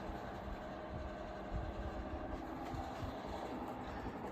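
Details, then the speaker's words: 1990s Home-Line 16-inch oscillating fan, initial test on low with stiff bearings: uneven rattling growl with loose buzzing from the safety grills; oscillation gearbox possibly the cause, not confirmed. "I don't know what that noise is. Something's like rattling or growling. Could be the gearbox."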